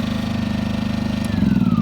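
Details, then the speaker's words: Champion 2000-watt generator running, heard from right next to it, estimated at about 50 dB. A small engine hums with a fast, even beat and steady pitch, with no misses or rattles. The generator runs healthy. "Now that's probably a good 50 decibels, and it's kind of loud because I'm standing right next to it. But if you were inside, you can't hear this thing one bit."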